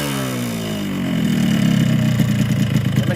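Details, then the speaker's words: Yamaha RX King two-stroke revved over a couple of seconds: coarse, uneven rasp from the block and no power on climbs. Cause is an exhaust port ported too wide, so block and head are replaced; throttle cable also too long. "ya dari suara di bagian blok Memang agak kasar untuk tali gas ini tadi saya tes gas ini juga naik tidak habis mungkin tali gas kepanjangan"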